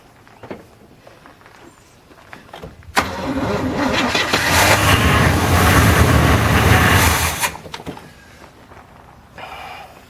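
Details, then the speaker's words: 1981 GM square-body truck that sat 25 years, choke blocked open, weak battery: catches and runs a few seconds at a steady rumble, then dies abruptly; suspected stuck carburetor float. "That float bowl up again. I would say we've got a stuck float."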